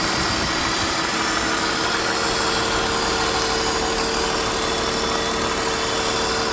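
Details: 1999 BMW 528i E39, M52B28TU engine, cold start: steady cold idle with a fast, slightly uneven tick and thin constant tone; owner believes the knock comes from around the intake manifold, not pinned down.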